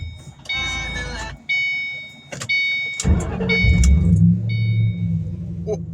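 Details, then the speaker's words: 2006 Ford Mustang GT S197 5-speed V8 cold start after sitting overnight, following timing chain, cam phaser, guide and alternator replacement; starter whirr then even rumbling fast idle through muffler-delete exhaust, no timing chain rattle, normal. "Oh, buddy. All right, yes. No rattle. It sat all night."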